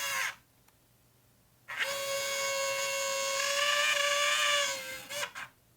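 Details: Nikon P900 camera: harsh buzzy motor whine for about three seconds, a newly developed grinding from the lens drive; cause suspected, not confirmed.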